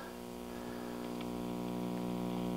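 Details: GE model 875 All-American Five vacuum tube radio, about 1956–57, brought up on a variac toward 117 V at 14–19 W; a low, steady mains hum grows as the set warms, with no station received.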